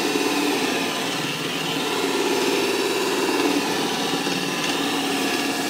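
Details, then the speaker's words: DIY wooden disk sander with a light-duty motor, no bearings, a bolt shaft and a broken-in wooden bearing block, grinding birch under load: a steady drone and grinding hiss, with a faint rattle from separating washers where it hooks in; otherwise smooth. "so you can hear them washers rattl a little bit but everything's running nice and smooth and you know if I want to I can grind away a chunk of birch"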